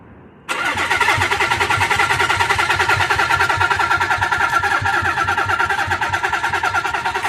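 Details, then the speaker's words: Nissan 300ZX crank no start with spark confirmed: steady fast cranking, never fires; cam timing suspected 180 degrees out because camshaft key is broken off. "I think we might be 180 out. So, for those of you that don't know, they come keyed, so it's impossible 180 out, but the reason why I think we're 180 out is cuz the key on the cam shaft, I know it's hard to see in there, is broken off by someone that far around with it."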